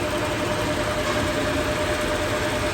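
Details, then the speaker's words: Toyota Revo, idling with AC just switched on before repair: a harsh mechanical rattle with a thin steady tone. The mechanic judges the AC compressor noisy internally from lack of oil. "Sige. Aircon. Ayonow. Maingay nga. Oo. Loob na yan. Mechanical yan."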